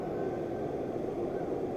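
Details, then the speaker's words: Altec Lansing Bluetooth speaker, board connected to phone: only steady loud rushing hiss like an airplane or waterfall, no music; static drowns output and volume buttons don't work, motherboard fault under investigation. "And I want you to hear the noise on the speaker. So, it's like you're flying in an airplane or"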